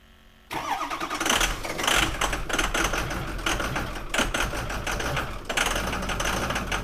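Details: 2004 Ford F-250 Super Duty 6.0 L diesel, crank no start that began on a cold morning without the block heater; starter turns steadily for seconds, never fires, before both fuel filters were changed: suspected fuel starvation.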